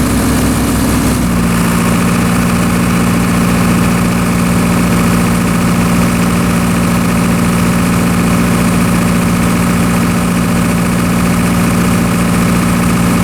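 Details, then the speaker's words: Military surplus diesel generator after storage and repairs, under significant overload: brief dip then steady, even running without hunting; normal generator running under load, little droop and no spurious trips. "all right everything seems to be operating properly as you saw in the video the generator was able to handle a fairly significant overload without too much droop"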